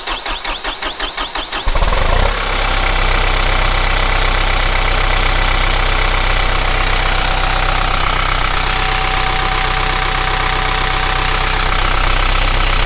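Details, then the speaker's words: Kubota M15GX tractor diesel after an engine rebuild: cranking catches at two seconds, then an even, steady clatter with no misses and no blow-by puffing; running healthy. "no blow down at all"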